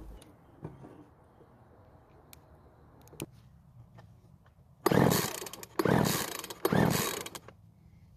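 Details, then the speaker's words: Craftsman leaf blower that suddenly slowed and stopped, now won't start; three rope pulls with a compression tester read about 50 psi versus about 70 hoped for. Rasping spins without firing show worn-out, too-low compression. "I was hoping for about 70 psi but after pulling the rope three times at the gauge only show is about 50 this is too low for it to start and run"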